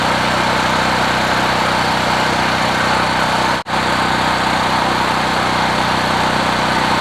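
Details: Generac GP5500 recoil-start generator, several years old, 36.8 hours, 89 octane with Stabil 360, running after about 25 pulls from cold. Steady drone at constant pitch; holds speed and runs smoothly once started, though chronically hard to start.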